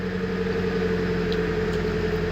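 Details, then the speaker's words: Nissan 200SX S14 SR20DET after replacing and tensioning all three V-belts, which had previously squeaked, especially with the heater on: smooth steady idle with a constant low hum and no squeal or chirp; normal idle. "After changing and tighting, we check everything if everything is fine no squeaking noise"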